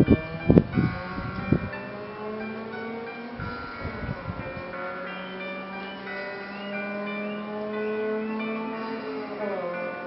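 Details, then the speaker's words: MacBook Pro at full volume playing music: harsh scratchy, squeaking crackles and buzzing on the low notes from a blown subwoofer speaker, recorded before repair. "So did you hear that scratching, squeaking sound?"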